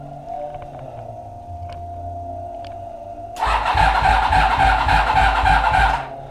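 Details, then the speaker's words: Vehicle that struggles to start (battery 12.6 V key off, 11.5 V key on) cranked on a 50 amp jump pack: strong cranking rhythm about three and a half pulses a second, much better, pointing to a weak battery. "much better with the 50 amp jumpstart which leads me to believe there is something wrong with the battery"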